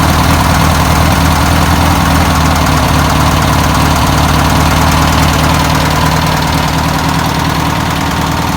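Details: 1962 VW Type 2 van/bus flat-four, first start after sitting over 40 years, fuel poured in by hand: steady, even idle with a smooth low rumble, no knocks or misses; running cleanly, normal idle.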